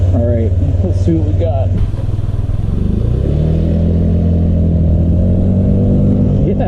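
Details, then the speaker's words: 2005 Honda Metropolitan scooter after fuel pump and filter replacement for a no-start: short start then even, steady idle with a smooth unbroken note; normal idle. "Oh man, that is sweet. She's back on the road and running."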